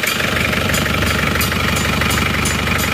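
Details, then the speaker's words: Warm diesel idle on Isuzu Panther after coolant leak repair and thermostat fitted, after a 4 km drive, engine temperature 81°C: steady even clatter, smooth, no misses or hunting; light exhaust smoke thinner than before. Normal warm idle. "81 derajat ya suhu 81 derajat suara mesinnya halus"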